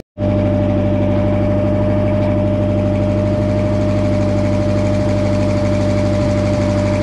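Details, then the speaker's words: VW engine with Solex Brosol carburetor on a sawmill, after a full carburetor cleaning, idling steadily and evenly with no hunting or misses before warming up, choke pushed in; normal idle. "well there it is idland and it's not even warmed"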